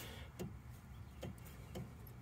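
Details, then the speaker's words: 2016 Chevy Cruze Premier Turbo, front driver's side knocking: sway bar link rocked by hand gives four soft, dry clunks in a couple of seconds; link has play and dry, ungreased zerks; top one also loose. "i believe it's this sway bar link bar right here a little bit of play in it not a whole lot but it's enough it's not it's not supposed to be like that for sure"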